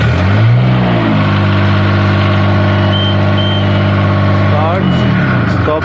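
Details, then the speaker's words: 2019 Niftylift HR17N diesel after the blown fuse was replaced, which cured the error 27 uncommanded start and no-stop fault: cranks and catches cleanly, holds a steady even idle, then winds down smoothly at shutdown; normal start and stop. "alright that sounded good no more starting on zone runs now"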